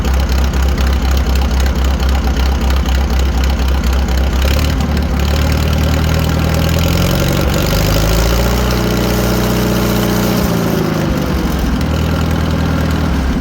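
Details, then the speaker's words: 1940 Farmall H on straight pipe after new spark plugs, oil seen in cylinder two: loud deep chug about four beats a second, steady idle now on all four cylinders. "so as you can hear the tractor is running way better we have all four cylinders now"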